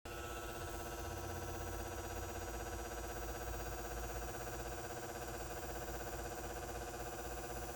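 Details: Over-20-year-old house-mounted light fixture with a Brinks 175W H39 high-pressure sodium bulb: the steady electrical buzz is long-standing but now louder, and a new rapid, even ticking of about four per second sits on top of it; cause unknown.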